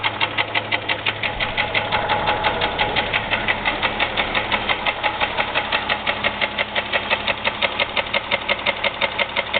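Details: 2001 Jeep Grand Cherokee 4.0 at idle, oil changed regularly, noise began suddenly without warning; sharp steady knock four to five times a second deep in the bottom end, owner unsure whether piston slap or rod knock, oil pan not yet pulled.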